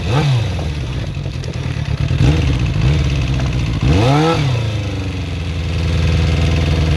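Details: Suzuki GSX-R400 (RL) motorcycle engine: light, fast ticking rising and falling with revs; owner suspects valve shims or timing chain, source not pinned down.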